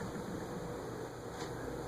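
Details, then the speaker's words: CEC 36-inch ceiling fan on a solid-state speed control at about 0.36 A, bearings still stiff: low, soft, even hum with no knocks or rubbing and only a faint bearing whisper; normal quiet running. "I really don't hear it. It's like bedroom quiet."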